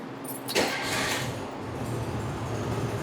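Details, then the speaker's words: 1974 VW Beetle after starter replacement: brief crank, then it catches straight away and settles into an even idle; the new starter engages and starts the engine properly, and the carbs are still good. "Perfect. Well, it's running. Six. Six. I need that. Carbs are still perfect."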